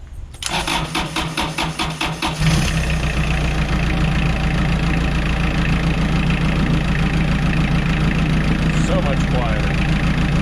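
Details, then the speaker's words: Junkyard Kubota diesel on roller/compactor, first start with new muffler fitted: cranks, catches about two seconds in, settles into steady even idle with soft exhaust note; healthy. "And here we are with the new muffler."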